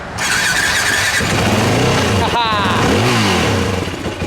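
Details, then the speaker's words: WR dirt bike after carburetor rebuild and reinstall, stock small end cap still fitted: single revs rising and dropping cleanly with crisp throttle response, no misfire or popping; runs great. "runs great. Still all funny, still got the small end cap in here."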